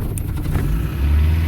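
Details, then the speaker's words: Truck after sitting unused: low, uneven, slightly lumpy idle; running a little rough from not being fired in a while. "yes that would be a little rough perspiring and not having a been fired in a little bit as you can hear it spread a little"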